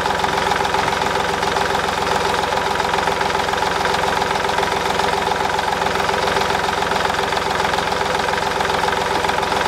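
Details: Idle of a March 2010 Mercedes Smart Fortwo 451 0.8 turbodiesel, robotized gearbox, rear drive, 119,000 km, just after fuel filter replacement (MAHLE KL-165/1): steady, even diesel clatter with no hunting or stumbling, running smoothly and healthy.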